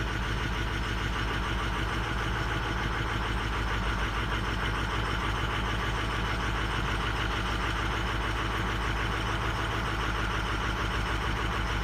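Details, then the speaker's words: Diesel truck with 260,000 miles, cold idle: clattery, slightly uneven beat about three per second; rough idle from weak injectors, 4 and 6 over-fueled by the computer, 8 not recovering well, 2 also weak. "right now it is over fueling number four in number six so we're pretty much working the injectors it's still within spec within range"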